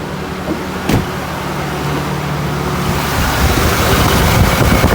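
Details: GM LS V8 with a cylinder 5 misfire; ignition and fuel were ruled out, compression was low, and a holed piston was found. Idling with the valve cover off and the PCV hole plugged, it has an uneven, stumbling pulse from the dead cylinder.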